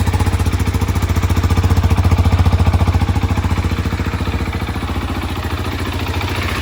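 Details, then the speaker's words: 2023 KTM 690 Enduro R single idling right after an oil change with AMSOIL Dirt 10W-50 to cycle the oil; an even, regular thumping idle that eases slightly quieter as it settles, normal. "And now we've got the oil installed, everything buttoned up. We're gonna go ahead and start it up, let the oil cycle through."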